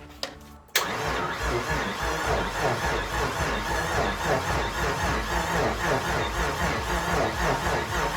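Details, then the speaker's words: Mitsubishi GTO twin-turbo, self-rebuilt engine, first start attempt after 3 years, cranked with injectors disconnected to build oil pressure: steady even starter churn about four beats a second, turning over freely without firing. "we need to turn it over whilst the injectors are disconnected then we can put fuel in it then we can try and start it let's see if it turns over"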